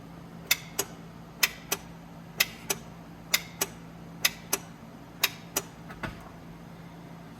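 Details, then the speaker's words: Vehicle that will not crank, key turned to start with power and ground confirmed at starter: sharp double clicks about once a second with no cranking; starter suspected seized, replacement needed. "as you guys heard that i mean that's that's pretty good indication that starter is no good"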